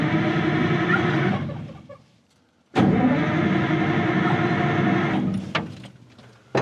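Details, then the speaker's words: 1960s Insley H2250 100,000 lb excavator diesel, cold in bad Michigan weather, starting spray and ether not on hand: starter churns in two long bursts, about three turns a second, with no firing; cranks but won't start, though it lit right off last summer. "No fuel. Fuel. Boy, I hope I don't regret not bringing ether. Not even a lick, huh?"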